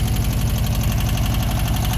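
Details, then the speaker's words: VW Beetle air-cooled flat-four idling: a steady, even low putter with no misses, knocks, smoke or backfiring, all four cylinders hitting; owner suspects a rebuilt engine. "that's got to be a rebuilt engine no smoke no fuss no backfiring all four cylinders are hitting"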